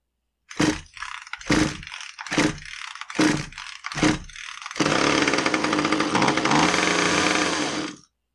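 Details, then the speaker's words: Husqvarna T435 top-handle chainsaw, won't stay running, good fuel, clean cylinder, good air filter: five pull-start pops, then ragged boggy running for three seconds before dying on its own; stalling from an intake air leak, intake boot suspected. "Yeah, it's just kind of boggy. Doesn't want to stay running. It died on its own."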